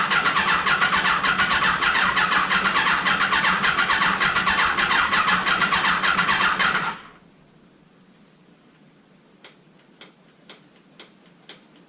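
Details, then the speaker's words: Neglected Kawasaki ZG1000 Concours: about seven seconds of steady cranking with no firing; spark seems present but no fuel reaching the carbs. "I think I'm feeling a spark that sounded like something that sounded like something let's see if the carbs are getting fuel now no fuel down in the jacks we're done"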